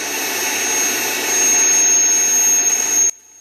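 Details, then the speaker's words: Hueborly 5.0 budget sander on a stiff vacuum hose with a 3D-printed connector: steady piercing high squeal while running, stopping when it stops; owner suspects the vacuum or hose airflow, adapters haven't cured it; high-pitched squeal. "it's just a such a high-pitched squeal so I'm gonna try some different Inlet hoses main hoses to the vacuum"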